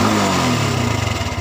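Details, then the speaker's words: Honda Revo fuel-injected motorcycle that would not start, parked two months, battery about 11 V; after cleaning the dirty fuel pump filter (new spark plug hadn't helped) it catches and settles into a steady low pulse, no misses; normal running. "menghidupkan motor ternyata berhasil ya guys"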